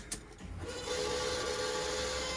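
At key-on, before cranking, a steady high whirring whine comes up and holds flat with no engine running: the fuel pressure regulator is screaming.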